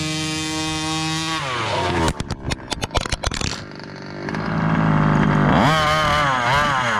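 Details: Gas-powered Rovan Baja 5B 1/5-scale buggy, test run after a crash rebuild with a new differential: buzzy two-stroke revs up cleanly and settles back, no misses or stumbling. Running normally.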